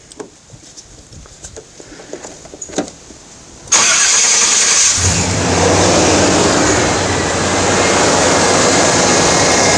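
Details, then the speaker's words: 1989 Chevy K-1500 after the alternator was replaced; handling clicks, then the engine cranks, catches, and settles into a smooth, even idle with no whine or squeal from the accessories. "all right so hopefully you can hear the difference and how that's that's the way an alternator is supposed to sound"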